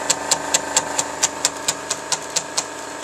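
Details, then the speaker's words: GAF 3000S Super 8 sound movie projector bought on eBay, running film with amplifiers on: crisp regular ticking about twice a second over a faint motor hum, perfectly even; mechanism running normally. "And yeah, you can see the volume control. You can hear the amplifiers running."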